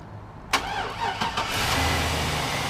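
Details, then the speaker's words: 2001 Chevrolet Silverado after head gasket replacement, start via remote start: quick crank, catches at once, smooth even idle with no ticking or knocking; healthy start. "she works so she's all topped off she's running real good real smooth I don't hear no ticks no knocks anything like that she rubs right up"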